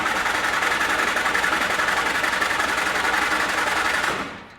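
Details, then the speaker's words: Flat-fender Jeep with a carburetor, cranked in neutral after frame repair and a newly added alternator and air cleaner, carb dry for a while: fast starter whirr with even compression beats near four per second, cranks but won't fire. "we added an air cleaner we haven't had fuel running through the carb in a while"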